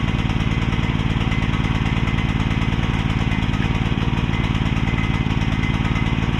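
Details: Repaired mini excavator's small pull-start engine: steady fast chugging about 220 beats a minute, rich slightly uneven note; choke left on, running overly rich.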